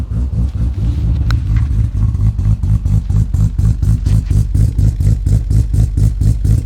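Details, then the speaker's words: Ford G6ET Barra freshly built 1000 hp engine, cold start on E85, untuned, cam not dialed in: deep lumpy idle pulsing about twice a second with uneven beat; rough cold idle. "this is new engine E85 cold start untuned Cam's not dialed in she sounds"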